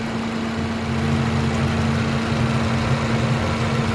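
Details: Pride car engine just rebuilt and reassembled, first start at job's end; smooth even idle holding one steady low tone and rising slightly, no knocking or ticking: normal idle.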